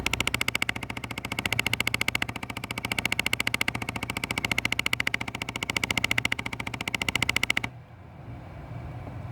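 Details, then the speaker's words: 2005 Jeep Grand Cherokee Laredo 3.7 V6 at ignition on: sharp even ticking about three to four per second behind the dash, stopping abruptly when vent mode changes; HVAC rattle, removing one actuator did not fix it, cause unknown. "so as soon as a we kick in the ignition looks like the AC started and we were unable to see what this big rattle noise comes from"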